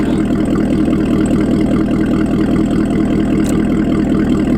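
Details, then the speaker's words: C7 Corvette ZR1 supercharged V8 after a check engine light saga: deep, steady idle with an even lope and no skips or stumbles. Not missing, no check engine light, no misfire heard. Normal idle. "Everything sounds good. It's not missing. There's no check engine light. There's no misfire that I can tell."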